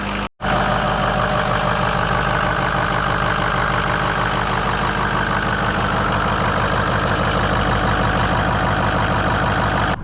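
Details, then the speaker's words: Ford F-350 6.0 Power Stroke diesel just started on new batteries after work on the hazing/smoke issue; steady, even idle clatter with no surging, misfire or rattles; runs nice and smooth, normal idle. "Okay, so the truck sounds absolutely excellent. It's running nice and smooth."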